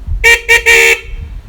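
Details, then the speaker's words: Honda CD 70 bike horn after adjusting its tightening screw: three short honks with clean, steady buzzy tone and even pitch; horn restored to normal sound by adjustment. "देखिए कितनी मीठी सी आवाज़ बन गई इसकी।"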